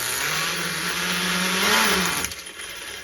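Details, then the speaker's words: HPI MT2 nitro RC truck being tuned: high, slightly wavering idle that bogs and fades as the engine loads up rich and floods after sitting; owner leaves the mixture rich. "definitely uh flooding out but normally when we're driving we probably wouldn't be sitting there this long Rich so I'm Gonna Leave It Rich"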